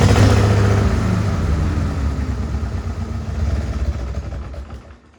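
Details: Farmall H tractor engine with rough, uneven low chugging near four beats a second and stumbling gaps before it dies away, like a misfire. Carb not flooded and timing found not out; owner suspects the distributor, cause not confirmed.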